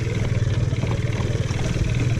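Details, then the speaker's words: TaoTao 110cc mini quad single-cylinder at fast idle: rough low-pitched clatter on every firing pulse, a loose knock; engine smokes heavily with excessive blow-by, owner assumes rings and top end are shot; engine to be replaced. "it's no running them still runs just knocks and it smokes a lot so I think it's time for our nice new predator"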